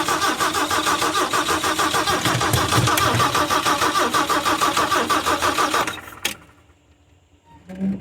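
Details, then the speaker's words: 1974 Ford E100 SuperVan that had sat unused is cranked with fuel in the intake and a jump from a truck. Slow, labored cranking of about three turns a second, no start; the battery is suspected dead. "I got nothing. And that was still weak as piss. Probably because it needs a battery, because the battery's dead and the jumping's just not gonna do it."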